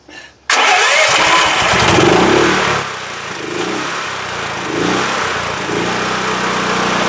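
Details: WEN TF1450X 14500W tri-fuel generator that previously ran 20 seconds then died losing spark, after repair; catches on first crank with choke on and settles into a steady idle with no stumbling or dying.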